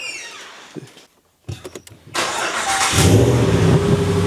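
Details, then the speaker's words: 2019 Ram 1500 Hemi, normal cold start after replacing broken AFE headers with BD Diesel exhaust manifolds (18 ft-lb spec, tightened by feel): quick crank, clean catch, settling high idle with only faint even injector tick, no more exhaust leak puffing; nice and quiet. "No more exhaust leaks. Just injector tick, which is normal. Nice and quiet. The way it's supposed to be, nice and quiet."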